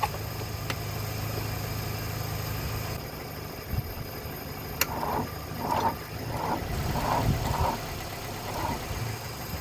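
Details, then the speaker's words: Mercedes W123 300D, 3 L diesel parked 20 years, cranked after a shot of easy start with the glow plugs working. The starter drags in slow, labored turns that weaken and never catch. The battery is nearly flat and may need charging. "all right it's pretty dead still might might need to let that battery charge for a little bit"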